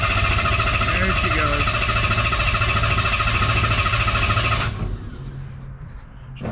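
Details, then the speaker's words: Ford Ranger truck with the ignition disabled after an oil change: even starter churning at about three and a half turns a second for under five seconds with no firing, priming oil pressure before start-up. Normal cranking. "what we're going to do is after we change the oil because i know the we filled the oil filter i want to see pressure on the oil gauge first before i actually plug in the ignition and fire fired up"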